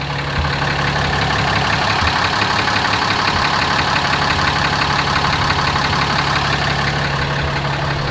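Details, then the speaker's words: 2017 RAM 2500 6.7 Cummins diesel, 12,100 miles, tows fifth wheel: deep, regular knock about three times a second over idle clatter, present since new, otherwise runs strong; oil analysis shows high iron, source undetermined. "It's got 12,100 miles on it. It's always had that knock. Other than that, it runs like a scalded ape."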